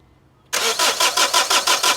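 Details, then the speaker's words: 2005 Honda CR-V diesel with leak-off valve pulled off the return pipe. Starter churns evenly about five times a second with no firing. Crank, no start: diesel spraying out of the leak-off valve causes the pressure drop seen on the scan tool. "So diesel's flying out that, so that's what's causing the lack of pressure on the scan tool."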